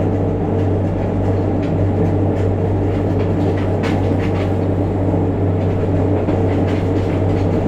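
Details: JR Kyushu 303 series set K01, car 4 MoHa 303-1, recorded directly above the Hakata-end bogie approaching Hatae: heavy steady low growl and hum with a rough vibrating drone and faint rail clicks. Traction motor growling with heavy vibration.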